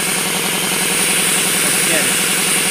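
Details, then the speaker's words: RamAir electric air compressor, revived after failing to start, tank at about 50–60 psi: motor chugs steadily under a loud constant hiss of air escaping around the shaft; shaft seal leaking. "all the air around the [Music] shaft and with it not running you could hear it really dushing out"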